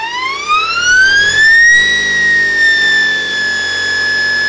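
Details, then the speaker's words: Motor spin-up on a 72V supply with a 144V 800A Kelly-compared speed controller being beta tested, PB6 throttle: clean whine climbing smoothly for about two seconds then holding steady, no roughness; motor spins up properly with good power. "that sucker just spin right up he's got some good power too"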